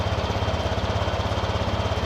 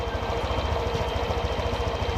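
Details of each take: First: Honda Vario 125/150 scooter (also Beat, Scoopy, PCX) idle test after setting idle air screw to factory two turns, no scanner: idle starts high then settles on its own; steady even low putter, no misses; normal idle. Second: Honda Vario 125/150 scooter with idle air screw turned an extra half turn past factory two turns: quick even pulse sitting high, likely above 1600 rpm (normal about 1500–1700); idle too high from air screw opened too far.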